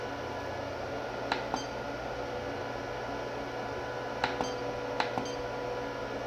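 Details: Mean Well RSP-1500-24 power supply feeding an iCharger 406DUO that charges Turnigy Nano-Tech 3s 5000mAh packs; earlier supplies clicked and then popped. Sharp paired clicks a few seconds apart over a faint hum under charging load, with cells over 150 mV out of balance; the cause is unknown.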